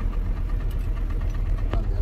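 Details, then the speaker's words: Mercedes-Benz whose alternator is not charging the battery, idling with a dull, low knock repeating under the drone before shutdown; engine knock of still unknown cause, diagnosis under way with an OBD computer. "okay, so I want to go ahead and I can shut this car down right now, so I start hearing that knocking noise, and just turn the ignition on."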